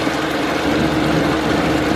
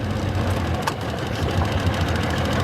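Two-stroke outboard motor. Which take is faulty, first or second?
first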